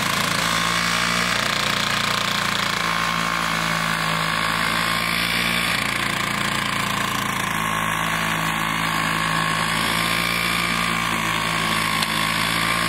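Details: Vintage Toro 19-inch Flymo hover mower, governor spring adjusted to about 3,700 rpm, kill switch fixed, cutting frozen grass in snow: high buzzy two-stroke holds steady fast pitch under cutting load, no hunting or misfires; normal running.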